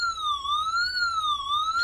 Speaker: So I'm going to actually drop some water here on it. And if you guys hear it, it starts beeping automatically. Tells you that there's some water leakage.